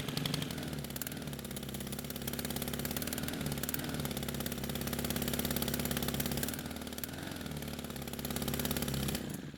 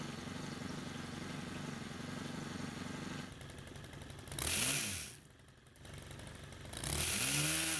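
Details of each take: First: Stihl pole saw (pole pruner) small two-stroke, stored for years with fuel left in it: clatters at a fast, unsteady high idle, then stalls the moment the throttle trigger is squeezed; hardened carburetor metering diaphragm starving fuel, believed damaged by old fuel. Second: Stihl pole pruner after carburetor cleaning and repair (years of stored fuel caused no-run): low steady putter, then two clean quick revs rising and falling; picks up crisp and runs fine.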